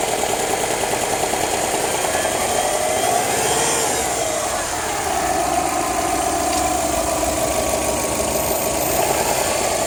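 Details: Subaru Forester petrol boxer engine near idle, 700–1200 rpm: regular knock under the engine note through small revs; owner unsure whether valves, bearing shell or piston slap.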